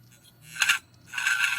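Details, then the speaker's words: Faulty 2009 Hitachi Ultrastar 500GB hard drive at spin-up, motor damaged, possibly in shipping: two bursts of harsh metallic scraping, a quick one then a longer grind; owner suspects the platter is tilted and scrapes as it spins. "现在听一下它启动的声音，马达坏掉了。马达坏掉了，这边好像那个转盘会好像转动的时候会切到这"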